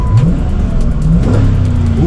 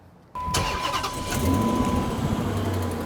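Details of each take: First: 2006 Chrysler 300C V8, rear-wheel drive, accelerating on the road with lug nuts stripped or missing (2 of 5): deep V8 note climbs smoothly through the revs with no knocks or misses. Engine sounds healthy; normal acceleration. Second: 2006 Chrysler 300C V8 with 165,000 miles at cold start, oil checked clean: cranks, catches and settles to a fast idle with a sharp, rapid diesel-like ticking clatter; an exhaust leak is suspected, not confirmed.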